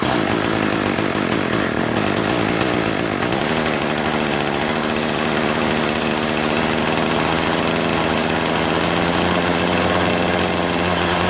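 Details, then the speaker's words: Troy-Bilt TB70SS 33cc two-stroke trimmer, unused about 3 years, fresh gas-oil mix, on run after choke start: buzzes high, then pitch sags flat instead of climbing at high throttle; bogs from misadjusted hi/lo carb mixture screws. "Not bad, huh? It's on run and it's not stalling. However, when I do try to high throttle it, it does bog down."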